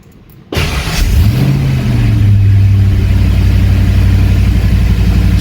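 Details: Fox Body Mustang on jack stands after upgrading to a high-torque mini starter rewired the Ford way: engine catches in under a second and settles into a steady, even run, with no starter whine or grinding afterward; starter disengages normally.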